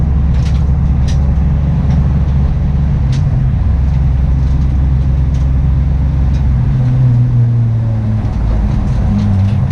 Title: Engine Misfire